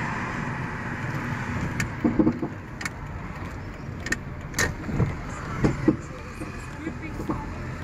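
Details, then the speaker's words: Honda Prelude driven over bumps on a bad road: irregular dull metallic knocks and clunks from the left rear, increasing lately, possibly since the exhaust mid-pipe was renewed; securing the exhaust heat shield didn't fix it, cause still unknown. "Where can this sound come from? The sound coming from the left rear. I hear that voice all the time at there."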